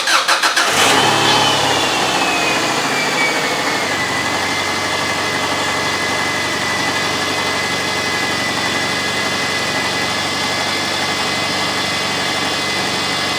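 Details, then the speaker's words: 2002 Subaru Outback right after replacing the faulty fuel pump: brief crank, then the engine catches and settles into a steady, even idle with a faint constant high whine; repair successful, runs healthy. "so so there you guys have it the subaru was fixed it was a faulty fuel pump"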